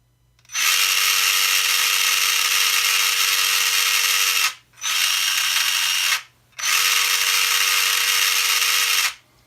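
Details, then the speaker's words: Traxxas TRX-4 RC crawler with newly installed GRC aluminium motor mount, free-running in neutral: high steady whine over the motor buzz in three even bursts, louder than stock; suspected pinion-to-spur gear slop. "and so by the sounds of it the GRC mount is a little bit louder and that's probably from what we could see when I had the pinion gear open we were actually able to see how much slop there was between the pinion and the spur"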